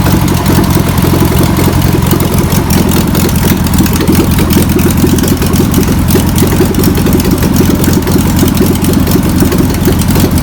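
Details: VW pressed-bumper bus engine sat over 50 years, running after freeing it up with spray and adding fuel; fuel pump suspected bad, rebuild kit on order. Uneven, lumpy idle with a loose chuffing beat, keeps running on its own; old engine runs but untuned.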